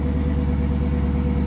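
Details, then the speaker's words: Dodge Challenger at Copart, low miles, minimal damage, left running: smooth even low idle with steady pulse, no ticking, knocking or misses; a little something but nothing too major. "Got a little something, but nothing too major."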